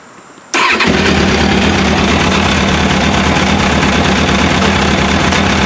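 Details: Motorcycle engine starting right after replacing the failed OEM fuel pump with an AEM 320E LPH (50-1200): brief crank, catches at once, settles into a steady, even idle with no misses; normal start after repair.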